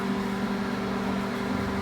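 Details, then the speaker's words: Microwave after replacing the magnetron and mica sheet, previously popping and sparking: steady low hum with constant buzzing tone, no popping or crackling, heating normally. "tá aí a microonda voltou funcionando normalmente né ele voltou já funcionando normalmente aí trocamos trocamos o magnetron"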